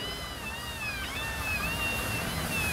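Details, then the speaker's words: Toyota Hilux half-shaft: a high, wavering squeal rising and dipping over a low rumble; dry half-shaft squeak from lack of grease. "e o barulho é bem aqui mas estava bem aqui ia bem assim ó faço spray de graxa branca aqui"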